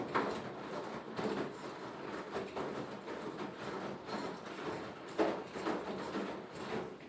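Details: Beko HTV 8733 XSO washer: repeated clack-clack bursts at about one per second over a quiet drum turn, an abnormal rhythmic clatter; cause unclear.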